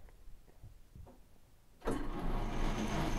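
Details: An Atlas lathe, regeared to halve the carriage feed rate, has its gear spacing adjusted to cure earlier gear noise. After a few handling clicks it runs with an even, smooth whir and no rattle or knocking; the noise is much improved.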